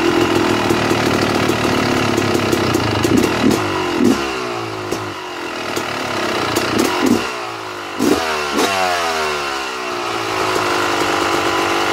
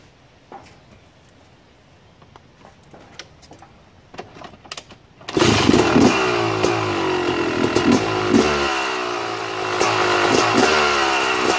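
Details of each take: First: 2009 Yamaha YZ250 two-stroke, pilot air screw set correctly: sharp throttle blips falling cleanly back, then steady crisp ring-ding idle without hunting; idle starts slightly high then drops a tiny bit. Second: 2009 Yamaha YZ250 two-stroke at idle, pilot air screw being closed too far: uneven idle stumbling and sagging as if about to stall; rich low-speed mixture.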